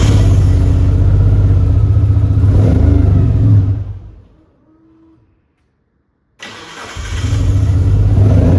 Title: 1996 Mitsubishi Lancer Evolution IV - no start cuts out rough running